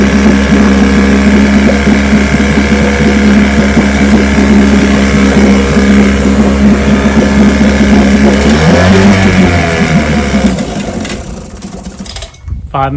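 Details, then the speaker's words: Vintage two-stroke outboard (restored then repaired), end of Tuesday run; steady, even buzz holding one speed without stumbles, then winds down at shut-off, ran good. "minutes are up. It ran good."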